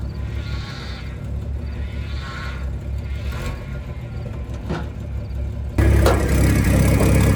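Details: 1975 Dodge pickup six-cylinder after a new, smaller replacement starter was fitted: even low idle thump at a steady beat, then a louder surge near the end; engine sounds smooth and healthy.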